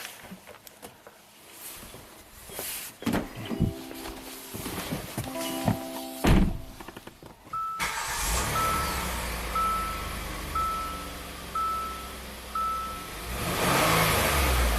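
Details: Hyundai SUV after repair with new bank 2 intake phaser (timing chain not replaced), fuel trims in single digits; after some thumps the engine catches quickly and settles into a smooth, even idle with no misses or knocks; normal start and idle.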